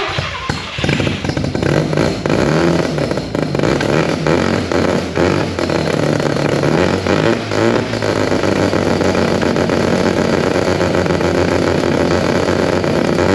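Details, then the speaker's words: Old race Mazda RX4 with new 13B rotary engine, old Haltech ECU running ignition, battery at only 11 volts with suspected alternator issues: loud, busy, uneven stumbling firing at steady throttle; rough running, owner suspects low voltage to the ECU. "so I'll get it running but it runs like [ __ ] the race car stuff actual race car"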